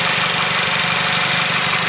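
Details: MK6 Jetta GLI 2.0 turbo, 250,000 miles, after timing chain work, recorded outside the car: even, steady idle with a busy upper hiss and no knock or miss, idling normally.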